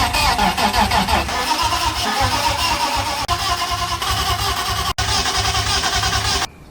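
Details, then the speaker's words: Turbo, OBD1-swapped BMW E36 M52 cranks steadily for about six seconds with even compression beats but never fires. The fuel pump could be heard, but the line inside the pump hanger had slipped off, so no fuel was delivered; crank, no start. "So, it was trying to send fuel and I could hear it sending fuel, but it wasn't actually sending fuel."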